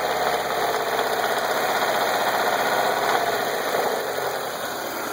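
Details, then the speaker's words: Mazda Miata, raised on stands, with a pretty horrible knock/rattle, barely audible at idle and more prominent while driving; rhythmic knocking about four beats a second under a busy mechanical clatter; cause unknown. "okay so my miata is making a noise um actually a pretty horrible knock slash rattle i really can't hear it when it's at idle"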